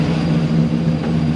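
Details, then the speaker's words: 1996 Impala SS with a 6.0 LS swap, BTR Stage 4 cam and 3800 stall, idling at about 210°F operating temperature: steady idle hum under an even airy rush as one big electric cooling fan kicks on. Cooling system working normally. "So I think the fans just kicked on. Oh yeah. So one fan just kicked on. It's a big fan."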